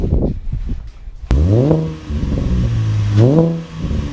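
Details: 2013 Camaro LT with LFX V6 after installing Solo Performance high flow cats (resonators retained): quick start, then two clean revs rising and falling with smooth, even exhaust note, no rattles or ticks; normal start and rev, sound barely changed.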